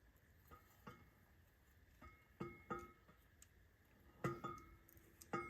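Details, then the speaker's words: Quick-change rear end with 9-inch Torino ends for a roadster, carrier turned by hand in the housing before grinding: irregular bright metallic pings as it hits the reinforcement ribs about an inch and a half from the end; fix is grinding the ribs down. "All right. So, you can hear it pinging on those ribs. So, that's why you have to um grind a little bit off of those ribs."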